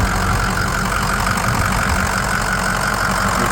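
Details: 2006 Ford F-250, factory exhaust (not straight-piped) with aftermarket intake and new battery, at idle: steady even idle, smooth low rumble, no knocks or ticks; engine sounds healthy, nothing wrong noticed under the hood.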